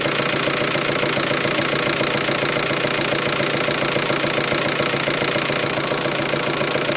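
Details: T5 engine idling with intermittent knock that started today, first at higher revs then at idle, comes and goes; light regular tapping about three to four per second over steady idle, cause not known.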